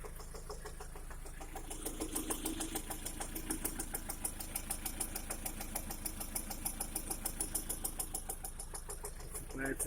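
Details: 2011 Lada Priora engine after piston kit replaced with gapless rings, at idle warmed to 60 °C and above: quick, regular ticking knock about three per second; origin unclear, hydraulic lifter (compensator) mentioned.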